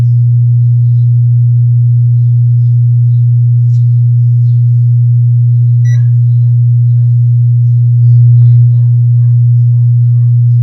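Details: Wordstar WBL 160 Plus active speaker: a steady low hum with no program sound. One output IC heats up rapidly at power-on, pointing to a shorted amplifier output chip.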